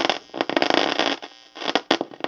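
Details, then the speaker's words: Lafayette tube guitar amplifier before restoration, with dried-out volume controls: irregular bursts of scratchy crackle over a faint amp hiss. The scratchy pots are suspected, maybe a tube, probably not microphonics; the source is unconfirmed. "Both of them are scratchy and noisy. Some of that noise could be"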